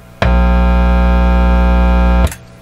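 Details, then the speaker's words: Canadian Admiral J104X/J105X console tube amplifier with oscillation fault: voltmeter probe on the input triode grid to read bias injects signal, producing a loud steady low buzz for about two seconds then cutting off; big hum from probing. "hum right big hum so bearing in mind that when I put my voltmeter on there I am also injecting it allow a signal any significant signal"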